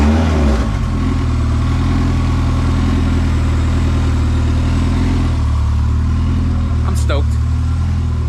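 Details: Honda CRX with freshly rebuilt B20Z swap, possibly aftermarket fuel pump, refired after TPS calibration: catches quickly and settles into an even, steady rumble that climbs cleanly when blipped; healthy.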